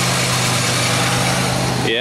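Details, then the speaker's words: 2003 Pontiac Grand Am GT, wheels off, heard through a stethoscope on the front hub: steady rough grinding roar with a low drone from one side only, confirming a bad front wheel bearing/hub. "this side has the grind oh yeah yeah it is this side for sure"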